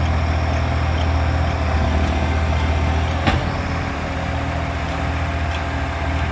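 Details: Loud diesel exhaust leak on a 3520: steady deep idle with a rough chuffing puff on every firing stroke, leaking upstream of the muffler.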